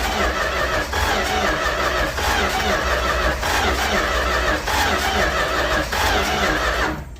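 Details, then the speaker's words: 1967–70 Dodge A108 van, 318 V8, three-on-the-tree manual, with timing issues: cranks about three beats a second with irregular pops and bangs but no start; owner suspects worn ignition parts, plugs, cap, rotor, wires before replacement. "We're gonna see if we can't get this thing to actually run instead of just popping and banging."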